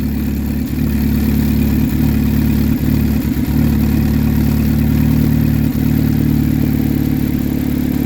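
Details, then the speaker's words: 2007 Saturn Ion petrol after starter replacement and battery disconnect, restarted after flooding: low idle broken by irregular dips and stumbles, an intermittent misfire that corrects itself. "it's intermitted so it corrects itself"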